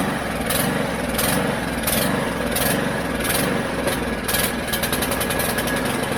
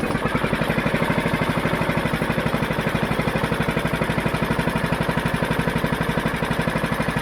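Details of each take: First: Mountfield HP414 petrol lawn mower, primed, started, then runs unevenly with lumpy surging and sputters out, running better on choke; lean running from a dirty carburettor, fixed by cleaning it. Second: Mountfield HP414 petrol mower that ran then died and surged, fixed by cleaning the dirty carburettor; even, steady thump with no hunting or surging, revs up cleanly; clean healthy idle.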